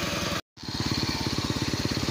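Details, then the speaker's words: Bajaj CT 100 single-cylinder after repair: replaced magneto coil with pulser assembly; previously died after 10–20 minutes once hot, now idles steadily with even putt-putt pulses, no stumbling — normal idle. "So ayan guys umaandar na siya ng matagal."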